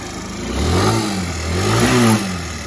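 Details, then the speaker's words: 2008 Saga scooter (shaft-driven small single) that sat two years: fires and revs up and down a few times, pulling cleanly and dropping back without stumbling; runs fine. "i got her to run just charging up the old battery here so we can be out on the trails do a little enduro with this thing"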